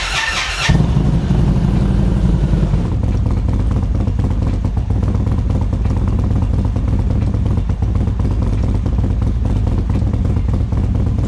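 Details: 2024 Indian Roadmaster ThunderStroke 116 V-twin after Lloydz 585 cam install and flash, warming to operating temperature: short start-up burst, then steady deep idle, no valve-train tapping; earlier clatter from a bled-down lifter gone, no engine lights.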